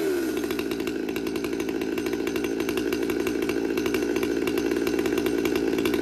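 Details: Stihl MS200T saw with aftermarket carburetor and intake boot, new carb kit fitted, warm after cold start: busy steady buzz whose pitch creeps upward, much smoke; goes out of tune when warm, high idle.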